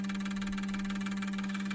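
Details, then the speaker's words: Injector set from a 2002 GM 6.0L LS drive-by-cable engine on a cleaning machine; steady low hum under quick, even pulsing hiss about twelve times a second. Normal injector cleaning cycle. "I'll probably run it through 20 minutes per cycle. For the set of injectors, I'll run it for 20 minutes. And then that'll be good enough."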